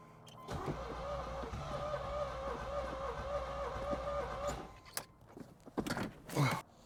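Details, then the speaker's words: 1986 Chevy Corvette C4 project car, fresh spark plugs, starter fluid in intake; steady cranking drone about four seconds, no clear catch. Cranks but won't start; fuel pump never heard priming, owner suspects fuel supply. "So, I I I definitely heard it trying to combust, trying to turn on."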